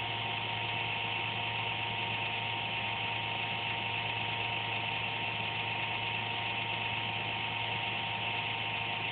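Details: Computer making a random buzz once or twice daily, speed unaffected: a constant buzzy whir with steady high tones and rough hiss, no speed change; the owner suspects the fan, unconfirmed.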